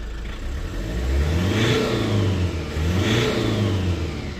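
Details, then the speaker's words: Lexus IS220d diesel after cleaning and refitting the EGR valve that caused limp mode: rises smoothly through two clean revs and settles back without stumble or whistle. EGR working, no codes; normal revving after repair. "16 max? Short clean up. Uh exhaust gas recirculation working and she's revving obviously."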